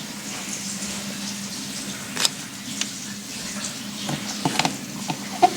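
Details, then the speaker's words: Whitfield pellet stove that only starts after the plug has been removed for a while: steady low fan hum holding evenly with a few light clicks; the stove has started and is running normally. "now it's working"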